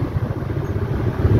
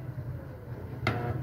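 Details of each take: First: Stand fan after new shaft and bushing fitted, previously humming loudly and not spinning: low, even hum with a soft airy rumble on speed two, no scraping or knocking; fan runs normally. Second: Stand fan on speed 1, powered: a steady low hum while the blades barely try to turn, stalled. Likely dried-out oil and a worn shaft/bushing, with the shaft wobbling in the bushing.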